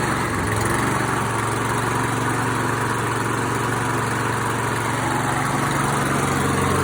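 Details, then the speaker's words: ATCO Liner 19SE V mower, Briggs & Stratton 675IS Instart engine after Makita 18V battery start conversion, running on 2-stroke mix instead of regular unleaded: small single-cylinder engine runs at steady even beat, no stumbles or knocks. Normal running. "Excellent. So pleased with that. A little slow to start because I didn't have any regular unleaded."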